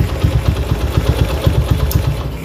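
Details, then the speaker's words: Honda GL motorcycle idling after repair of unstable idle, stalling when clutched and hot-engine ticking: even, steady low thumping at regular idle pace, no ticking or clatter; idle now normal and stable, carburetor setting still pending. "kenormalan di bagian ini sudah normal ya menurut lemon juga sudah stabil"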